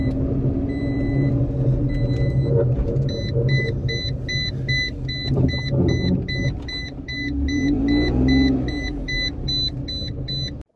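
Three-cylinder buzz idles steadily and picks up cleanly on a blip around eight seconds, over a repeating dash chime; it sounds healthy.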